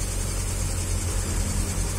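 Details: Suzuki Carry 1.0 that died suddenly while driving, after fixing broken aged spark plug wires: steady, even low idle rumble with no misses or stumbles, running smoothly on all cylinders.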